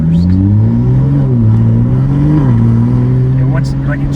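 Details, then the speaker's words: Rebuilt wrecked 2023 Toyota Supra, automatic, on its first drive: revs climb briefly then drop sharply as it upshifts out of first and second too early, and it ignores manual downshifts; a programming fault is suspected, not confirmed. "like, it's trying to get out of first and second gear as fast as possible."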